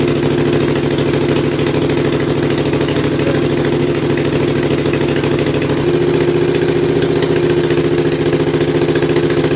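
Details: Kohler Command mower engine revived after carburetor rebuild and starter install, no muffler, just choked: loud open-exhaust twin beat, steady and even, speed picks up slightly partway; runs really well, normal.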